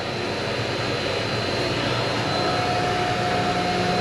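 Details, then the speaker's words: Ranch water well pump just primed, building pressure at a hose: steady, even rush with a smooth motor hum and no knocks or surging; normal pumping. "ooh look at that i hear water in there that's nice that sounds like water to me"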